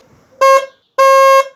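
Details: Opel Astra G horn after repair, screws refitted following a test with screws removed that gave an ugly sound: two clean loud honks, short then longer, steady even tone; the original sound is back and the horn is healthy.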